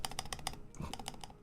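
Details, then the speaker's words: Neo Ergo keyboard after adding lube to the stabilizers: crisp, even key clacks, about five in the first half second, no tick or rattle after release; stabilizer ticking is gone. "Oh, there it is. It's already there. There's no more ticking."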